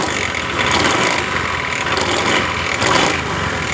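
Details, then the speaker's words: 2015 Honda Beat Pop scooter: a harsh, gravelly rattle from the drive side right after starting that grows louder with each throttle blip, with engine vibration; worn CVT variator rollers and roller housing. "motor ini suara kasar dan ketika kita tarik tu tuas gas eh terasa di bagian mesin ini terasa getaran motor"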